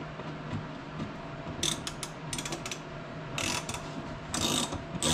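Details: 2015 Tesla Model S rear hatch after replacing the cinching actuator: short crisp bursts of gear-motor ratcheting as the latch pulls shut, no hesitation; new actuator works, fault fixed.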